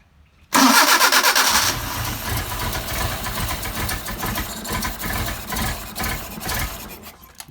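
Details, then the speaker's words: Mercedes 190SL Solex carburettors on a test engine, completely cold and not yet adjusted, after priming the fuel pump: a brief crank, it catches at once and settles into an uneven, slightly hunting fast idle. "all right got so completely cold hadn't even adjusted them yet let's see what happens switch on"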